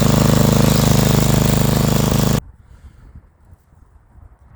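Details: Snow blower small single-cylinder gas engine after cleaning carbon-clogged carburetor bowl and jet with carb cleaner: fires right up and chugs evenly for a couple of seconds; runs clean.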